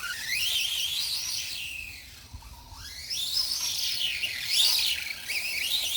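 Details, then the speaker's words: Redcat Volcano 16 mini monster truck after brushless conversion, non-adjustable mesh, driven outdoors at high speed: shrill squeal sweeping with throttle over faint motor hum; poor pinion-to-spur gear mesh. "the first thing that's immediately apparent is the gear mesh is still not perfect so it's it absolutely screams like and it's not in a good way it's a very unpleasant almost like high-pitched squeak like squeaking noise"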